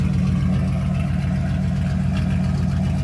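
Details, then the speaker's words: Dodge Ram 1500 just straight piped with muffler cut off: loud, deep, even open-pipe exhaust rumble at idle, steady firing, no ticking or typical Dodge valve rattle; normal idle. "But guys, the engine, the sound, no noises. It doesn't have the typical Dodge valve rattles and stuff."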